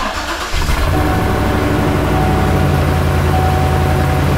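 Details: 2007–2014 Chevrolet Silverado 2500 HD first start after new fuel injectors, fuel system primed by cycling the key: brief crank, catches at once and settles into a smooth, steady idle with no misses; healthy start.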